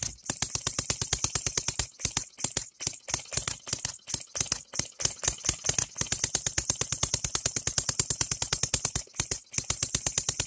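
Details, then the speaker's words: Engine DIY three-stroke model gas engine (runs without compressing the charge; low speed, high torque), cheapest model offered; quick, crisp, even popping at a steady pace with brief dips; it fires and keeps running properly. "I'll shut it off and you put it at the right spot right here and turn it on and it will fire this stupid thing just runs how cool is that"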